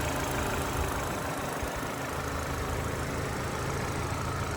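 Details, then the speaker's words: Salvage Mini Cooper, 29,000 miles: engine settles into smooth even idle with steady low hum, no knocks or ticks, running healthy. "Sweet as a bird."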